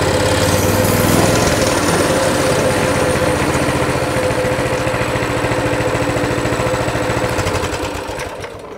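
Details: Coleman CT200 mini bike, non-adjustable carb, throttle return spring removed: the small single idles at a steady, fairly even beat of about 1600 rpm, near the 1700 target, with the reading fluctuating. The clutch isn't moving: a normal idle.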